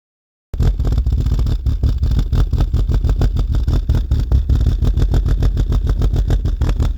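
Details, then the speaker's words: Mk2 Golf GTI 16v with rebuilt 1984cc engine, recorded close to the tailpipe at idle: deep, lumpy idle with fast, uneven pulsing exhaust throb; cause is a badly designed, restricted rear silencer box that exhaust gases hit internally. "it's the pulsing of that noise as soon as we move high and closer you can really hear the difference versus the next video how it sounds after"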